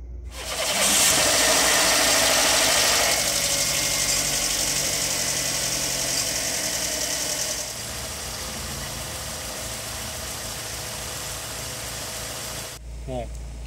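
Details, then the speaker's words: Fiat Palio Fire Evo 1.4 at warm operating temperature after replacing a clogged oil pickup strainer, cleaning the sump and refilling oil: steady even idle with no engine noise and no oil-pressure warning. Problem resolved. "não aparece mais a mensagem de pressão de óleo apesar de ter ficado na mínima o motor já não produz mais barulho e nem aparece a mensagem no painel"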